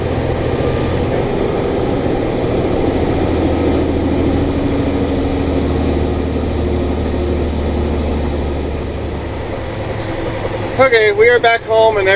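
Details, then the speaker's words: Truck on its first test run after a shop repair, lugged on the Jake brake: deep, even diesel drone under heavy pull without knocks or misses, not getting hot, running smooth; normal running under load. "to be doing just fine it's not getting hot it's running smooth so hopefully that means it is ready to go back to work"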